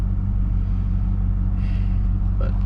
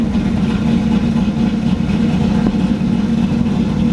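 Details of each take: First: Pontiac GTO idling around 600–700 rpm: low, steady, even rumble with no knocks or misses. Normal idle. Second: Camaro Z28 on third chip tune, loping choppy hunting idle held high; vacuum only about 40 on gauge, dropping to 800 would leave no vacuum and lose power brakes.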